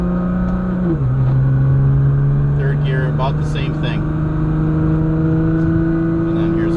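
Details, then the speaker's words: Built Nissan GT-R transmission (billet 1–6th gears, 9-plate clutch basket, 900–1100 awhp) in manual mode under load: rough grinding flutter from the gearbox area at the rear, not the bellhousing; near-silent in 1st, fluttering in 2nd, quiet in 3rd, worst in 4th. "you can hear it fluttering a little bit in second um pretty quiet again in third but fourth is pretty bad"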